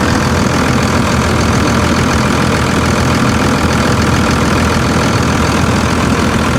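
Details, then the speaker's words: 57K-mile Dodge Ram 3500 salvage auction truck, driveshaft missing, listened at the exhaust: steady smooth idle with no knocks, misses or ticks, charging nicely; engine sounds perfect. "Man, guys, this thing is perfect. Charging nicely. Listen to her."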